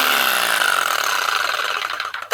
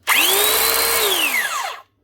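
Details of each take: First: Arbortech Allsaw mortar saw after resetting the drive belt, which had dropped and rubbed the aluminium housing causing heat and a burning smell, and tightening the tensioner pulley: steady high motor whine, clean spin-down and restart, no rubbing; normal running. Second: Arbortech Allsaw mortar saw that won't cut: motor whine climbs fast to a steady high pitch then winds down with a laboured, stiff tone, smell and hot air coming out. Drive belt looks to have stretched and dropped on the pulley; fixed by resetting belt and tightening the tensioner pulley.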